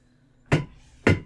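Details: Gaming chair swivelled: two loud, hollow knocks, popping racket like broken bearings, chair knackered; swivel base bearing cracked and dry.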